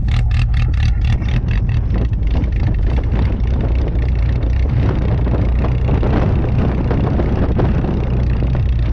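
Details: "Rescue" Tercel wagon (1983) cold start at about -6°F wind chill after sitting a couple of weeks; fires quickly and settles into a steady, slightly lumpy low rumble with no knocks or misses; normal cold start and idle.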